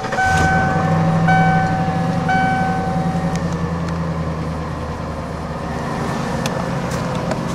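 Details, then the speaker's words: 1995 Ford F-250 4x4 V8, cold start after new spark plug wires (earlier ticking came from the loose, arcing #3 plug boot): fires right up to a smooth, even idle, no ticking or misfire; firing order correct. "well it certainly sounds and feels like I got the firing order right which is nice you'll know in a hurry to get that wrong"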